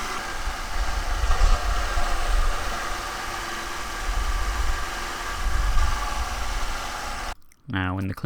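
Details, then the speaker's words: 2006 Audi A3, 183,000 miles, held at about 2000 rpm while intake valve cleaner dispenses: rough, lumpy note surging and sagging as it stumbles; check engine light was blinking; expected during the roughly nine-minute treatment. "now the valve cleaner product doesn't start dispensing immediately but trust me you'll know when it does the engine will start running really poorly"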